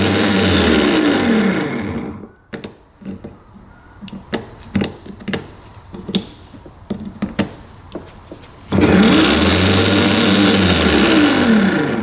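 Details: 1989 Yamaha Big Bear 350 4x4 ATV, starter reassembled after cleaning: slow labored whirring crank in two bursts with quiet clicking between, works when tapped; weak starter, brushes not making good enough contact.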